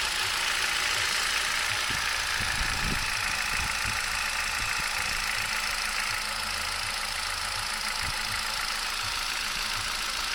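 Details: 2011 Turkish-built Hyundai i20, 1.2 L Kappa gasoline engine at 45,000 km: steady idle with light irregular ticking over a hissy running sound, no change in revs; engine noise of unknown origin.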